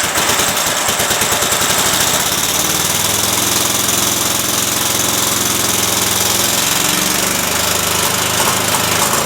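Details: Cub Cadet mower engine after carb screw refit, PTO engaged spinning blades; loud, rough running with uneven beat and sagging, wavering pitch, missing. Owner suspects a leaking fuel solenoid sucking air or a bad coil; unconfirmed.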